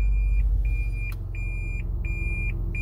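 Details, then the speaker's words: 2010 Toyota Prius (Gen3), engine on, in reverse: a high-pitched factory reverse warning beep repeating about four times a second without pause, recorded before it is disabled through OBD. "you see that it's in reverse and it's beeping"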